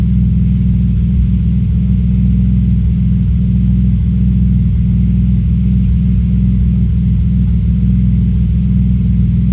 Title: Audi S4 B5 Misfire cold start